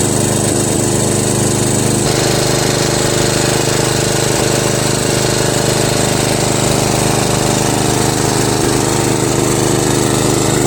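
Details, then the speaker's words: Murray Select 13.5 riding mower, Briggs & Stratton flathead single after valve and head bolt repair, first test drive: steady, even drone held at full throttle under load around the block, no skips or hesitation. "in the homestretch one more left turn and this thing has not skipped the beat the whole block full throttle the whole time didn't hesitate at all"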